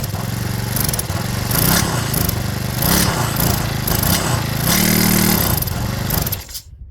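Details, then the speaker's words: Stihl FS65-4 four-stroke petrol strimmer with badly overfilled oil; after cleaning oil out of the system it fires and runs with a rough uneven buzz rising and falling with the throttle. "Right, so good news, it has fired up. So, like I said, I might have to go through that process a few times till it's kicked all the old oil out."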